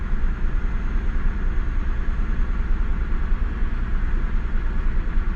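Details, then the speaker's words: Mazda Bravo B4000, cold start, still warming up: steady, even idle sitting slightly fast at just over normal, no misses or knocks; suspected idle control valve (automatic choke) plunger not fully shutting, valve to be replaced; normally idles 1,750 then drops to 1,000. "jeez that it's idling just over well it is still warming up it's not quite warm yet but I think that plunge is not quite fully shut"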